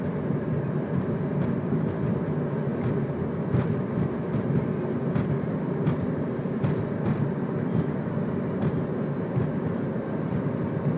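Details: 2002 Ford Focus while driving: road rumble with sharp knocks every second or two over bumps from the driver's side front; cause found to be a bottomed-out coilover, since fixed.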